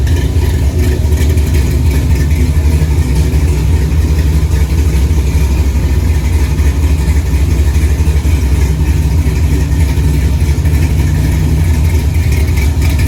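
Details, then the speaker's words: 1964 Chevy II Gasser, LS V8 swap with Holley Terminator X, after cooling system filled; deep steady burble at about 950 rpm set idle (owner wants 800), even pulses, no stumbles or ticks; normal idle. "It's actually idling, so I'm just gonna leave it alone. I set it at 950. I'd like to hear it about 800. It runs. Got a pretty good sound to it."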